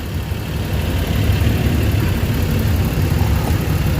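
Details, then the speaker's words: Suzuki DA64W turbo engine after camshaft sensor replacement and ECU reset via battery disconnect, idling with AC switched on: steady, even low hum, no surging or vibration; normal idle with AC on. "So ayan, naka-aircon tayo. Yan. So yung kanta ng engine, okay lang. So malamig, panalo na."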